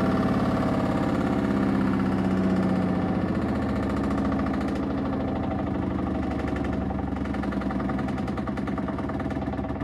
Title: Samsung washer rattling VERY LOUD. What’s the issue comment below